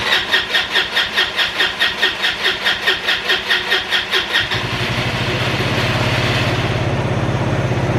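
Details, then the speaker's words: Free roadside-found ATV on a water-bottle fuel feed to the carb: starter cranks, then catches into an uneven single-cylinder idle that stumbles and sputters; owner suspects a dirty fuel tank. "What's wrong with it? Nothing. Oh, sputtering. Uh-oh."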